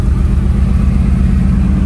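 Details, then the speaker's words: 1955 Chevy 210, 427 big block, tunnel ram, dual four-barrel carbs, 4-speed, smelling like straight pump gas instead of race gas: deep lumpy uneven chugging; misfire, sounds like a spark plug hanging out. "misfire sounds like it's got a spark plug hanging out"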